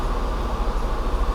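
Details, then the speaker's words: 1989 Mercedes W124 300CE M103 engine after fuel distributor rebuild, new injectors and fuel pump, idling in gear: low, even rumble around 500 rpm, no dips or surges; idle stable. "RPM is around 500, a little over, and it's quite stable."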